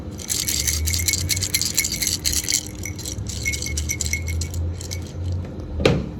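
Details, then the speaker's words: Starter motor from a 2014 BMW K1600 being handled gives loose metallic rattling like a shaken toy; seized starter clutch spun the starter as a generator, scattering its internals. "when the starter clutch seizes up on one of these apparently according to the customer it sounds like a jet taking off this is supposed to free spool on there and she's uh everything's attached to each other in one solid mass well when it did that it turned the starter motor into a generator until"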